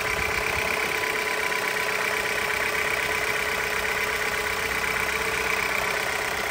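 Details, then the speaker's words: 2021 Jeep Renegade Limited, 1.3 L turbo four-cylinder, at idle: constant raspy buzzy hiss, almost two-stroke-like, over the engine; unclear whether it is an exhaust leak or just how the engine sounds. "It sounds like maybe an exhaust leak, or you hear like a raspy kind of noise. I don't know if it's just the way the engine is because it's a 4-cylinder."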